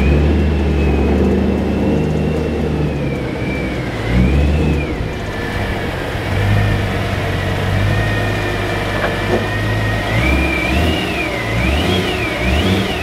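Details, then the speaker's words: BMW E92 M3; thin, high whine riding over the idling and revving engine, wavering as the revs change, heard all the time and mistaken for a supercharger; source unknown. "there's a weird high-pitched sound that I hear in my car all the time"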